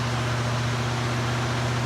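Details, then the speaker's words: 1976 Cadillac Eldorado Biarritz V8, idling after its first start since mid-October: smooth, steady low hum with an even, unbroken beat and no knocks or misses; runs good, healthy idle. "Man, this thing runs good."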